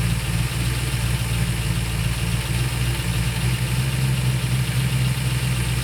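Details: During a tune-up of the 1968/69 Ford Torino GT 390 FE V8s, a deep, even V8 burble holds a high idle while the carburetor idle mixture screws are adjusted. With the idle screw fully out the idle won't slow and vacuum persists; the owner suspects the accelerator pedal is holding the throttle. Dwell seems okay.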